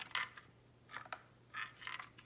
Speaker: you hear there's something loose in there. I'm not exactly sure what it is, but it's something. And there should definitely not be anything loose in your speaker.